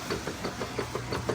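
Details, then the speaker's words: Direct-drive Kenmore 600 washer (110.29622801) after center seal and clutch repair, agitating: soft regular knocks about six per second, a slight transmission knock the technician considers normal and okay. "Look at that baby wash. Real freaking washer. Look at all the doodoo floating around that we knocked off. Nice. Transmission's got a little knock to it. That's okay."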